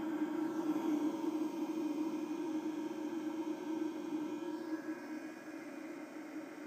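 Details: eFuel PSU30ADE power supply at under 10 W, even idle, any voltage: loud whirring fan running flat out like a hairdryer, then easing, while the supply wastes 12-16 W constantly; it also rattles.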